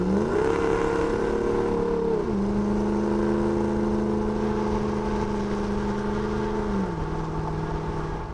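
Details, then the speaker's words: 2009 Dodge Ram 5.7 HEMI V8, replacement Jasper engine just broken in, new Flowmaster Outlaw stainless exhaust replacing Banks Monster, driving: deep, smooth V8 drone at cruise with a pitch step on the shift, more aggressive only under throttle; healthy exhaust. "Wow, do you hear that? Yeah, it's a bit more aggressive, but it's deceiving. The Banks exhaust was just loud all the time."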